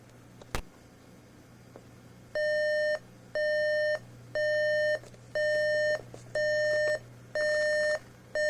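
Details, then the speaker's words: RCA RP-3740A CD clock radio, alarm test after CD playback failed: loud two-tone beep bursts about once a second, steady and even; alarm works but isn't volume controllable, sounding from the bottom of the unit rather than the speaker. "Doesn't appear to be volume controllable. Probably because it's not even coming out of the speaker, it's actually coming out of the bottom of the unit."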